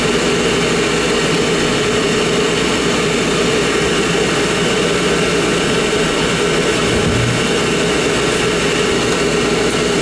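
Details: Oil burner motor on a heating-appliance service, run with the controller jumped out to flush oil through; 3-year-old 1 gallon 70 nozzle burning clean. Constant, even motor hum and steady pump whirr, no surging or rattle: normal burner motor running.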